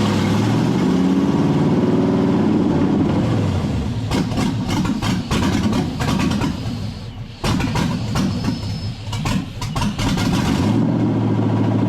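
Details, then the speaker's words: LS-swapped (5.3 LS) 1948 Dodge pickup after injector replacement, running poorly as if out of gas: rough stumbling idle with a faint high whistle, an unmetered air leak; owner first suspects the air cleaner, then finds an untaped hole in the back of the intake. "Can you hear that whistle? Is it the air cleaner?"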